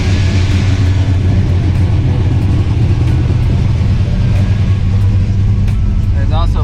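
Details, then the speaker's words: 1994 car just after a new alternator was fitted, showing plenty of charging. A loud, deep, even engine hum with no knocks or whine: normal running. "plenty of charging it is at the M I think before it was a little higher but worried about it sounds good still"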